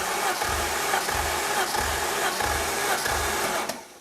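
Starter cranks with steady, evenly spaced compression pulses, about one every 0.6 seconds, none weaker; compression sounds even across cylinders.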